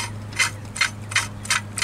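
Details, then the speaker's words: Jeep Wrangler YJ onboard air compressor belt install with a new idler pulley, two 3/8 grade 8 washers as spacers: a rasp at idle as the belt rubs the front edge of the misaligned pulley; another washer is needed. "hear that rubbing the edge of the pulley is hidden right on the front right here a little bit"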